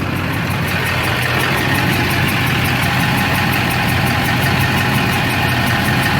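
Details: LB7 Duramax diesel pickup with a stuck injector, mid injector-cleaning attempt before engine teardown: uneven, lumpy idle with steady clatter, fault located on the driver's side bank; smoke now reduced to a light haze.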